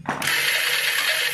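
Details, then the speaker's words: Bajaj Discover motorcycle: fast, high, steady whirr as the self-starter spins freely but the engine does not turn over; starter motor turning without engaging. "Back हम जैसे ही तेल से start करते हैं friends घूम रहा है लेकिन इंजन नहीं घूम रहा है"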